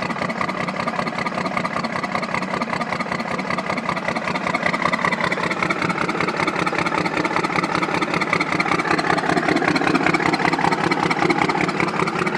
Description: This is my 1993 first gen cummins missing!!! End result was a blown head gasket.